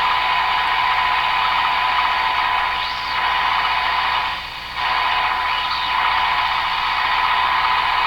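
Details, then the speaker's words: Hallicrafters TW2000 radio during broadcast-band alignment: steady mid-pitched test tone under loud band hiss; the signal is tuned in but lands right in the noise spot. "There it is. It's right in the noise spot."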